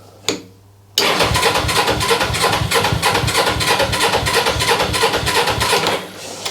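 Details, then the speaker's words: GS twin-carburetor engine that sat for 3 years, started after tinkering; it catches, pulses unevenly about three times a second and sags toward a stall; owner suspects a blockage in the left carburetor. "It's not perfect, but it now starts. I think because it's been sat, like I say, for 3 years, we may have a bit of a blockage in the left carburetor."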